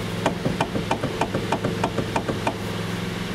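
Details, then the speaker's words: 2009 Kia Ceed wagon, 72,000 km: sharp hollow knocks, about three a second, over a low hum when turning the steering wheel; suspected worn rubber damper at the electric power steering motor coupling in the steering column. "посторонний звук при закручивании за руль а подозрение на резиновый демпфер"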